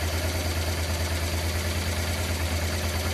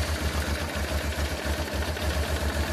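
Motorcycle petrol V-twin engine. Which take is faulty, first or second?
second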